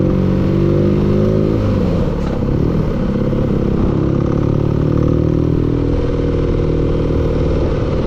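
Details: Engine at steady idle with a dull, rough clatter under the note; engine knock, cause not identifiable by ear.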